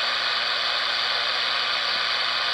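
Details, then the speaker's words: Radio after band switch replacement, on the AM band: constant, even static hiss with no signal, crackle or dropouts. Normal AM background noise; a high-cut filter makes AM much quieter. "yeah we're on am now that's what am normally sounds like"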